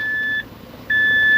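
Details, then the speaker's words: Mazda 3 running on both LPG and petrol, on a test drive after repair of a faulty ignition coil that caused shaking and a check-engine light: two steady electronic beeps, the LPG system working normally, not a fault. "ได้ยินเสียงแก๊สดังติ๊ดๆเลยนะสรุปไม่ใช่ถึงแกนะเป็นเสียง"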